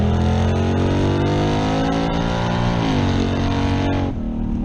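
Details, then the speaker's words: Camaro V8 after swapping stock cam for Elgin 1840P cam (228/230, .585 lift, 112 LSA), which fixed the torque converter acting up: deep lumpy chug snapping cleanly up through the revs, even firing, no knocks or misses; healthy. "apparently that's exactly what was going on because it's doing exactly what it should now god this thing sounds good dude nice chug"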